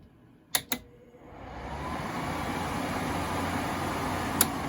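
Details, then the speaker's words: Vintage Quasar (Panasonic) 5000 BTU window air conditioner, built 1998–1999, formerly salon use, started on high speed fan-only mode: two clicks, then a smooth, steady airy rush with no bearing noise or rubbing; normal, healthy fan on high. "Here, I'll start up from high speed on fan only."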